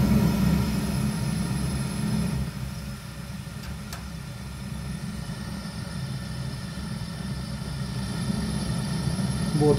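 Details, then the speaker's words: Zhukovsky gas heating boiler made in 1997: steady low burner rumble with a light grunting, fluttering pulse showing unstable combustion with the gas tap about a quarter to half open; noise disappears when more gas is added. "Но вот я допустим сейчас слышу какое-то такое легкое похрюкивание то есть шум горелки газа и шум какой-то нестабильности горения"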